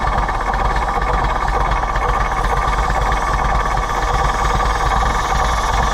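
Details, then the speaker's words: Allis-Chalmers WD tractor (WD45 engine, or the reverse), just caught after no-start: loud, lumpy idle with uneven pulses, gone from no fuel to the other extreme; a bad carburetor makes it run rough, likely to quit. "well let's try to get it away before it quits it's going to quit before we get there but sure carburetor is not happy"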